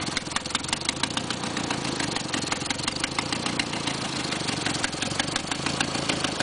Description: KA24E in 1990 Nissan 240SX coupe. If your KA sounds like this, check your exhaust manifold bolts and gasket.